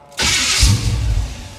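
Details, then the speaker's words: 1977 Chevrolet Monte Carlo starter after fitting the thickest shim to stop grinding: short, clean crank with no grinding on engagement, just a slight whine; normal starter cranking, though engine didn't start. "oh that sounded good yeah I'd say that's good enough it sounds a hair whiny but that was the thickest shim uh in the Box"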